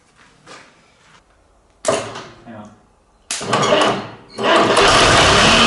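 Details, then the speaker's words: Fordson Super Major tractor diesel after a new engine, filters, hoses, fan belt, battery leads and starter solenoid switch were fitted. A few short cranking bursts, then it catches at once and settles into a loud, steady run, starting easily. "yeah that was good though wouldn't it yeah that sounded nice and it picked straight up um yeah really good"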